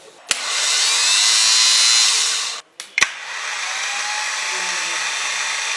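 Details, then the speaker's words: Car starter motor cranking with the ignition key on: its gear extends to turn the torque converter and flywheel. A sharp click, then a high whirring spin for about two seconds that winds down and clicks again; normal starter engagement. "当我们打开点火钥匙点火的时候，启动马达就会工作，前面这个齿轮就会伸出来，带动这个液滤变矩器转"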